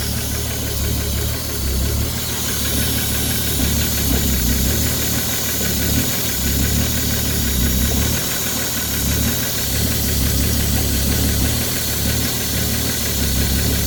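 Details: Ford 3.5 EcoBoost from a Police Interceptor: heavy, steady knocking under a rough idle, loud and constant low down; a worn connecting rod bearing.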